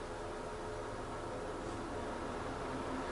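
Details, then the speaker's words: Harbor Freight Chicago Electric Dual MIG 151 welder powered on after a simple wiring repair inside the MIG gun: a steady, soft, even hum with light fan hiss and no buzzing or crackle, a normal, healthy power-on hum. "isn't that a lovely sound sounds like a really healthy little machine"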